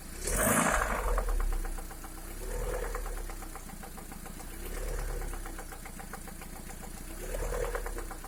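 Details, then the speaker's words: 2011 Lada Priora after the piston set was replaced with gapless rings: a light, quick ticking of about three per second at warm idle starts from 60°C upward; the source is unclear, but a hydraulic lifter is suspected; engine knock when warm. "После замены поршневой на бесстыковую при прогреве до 60, от 60 градусов и выше начинается стук мотора. Непонятно откуда исходящий."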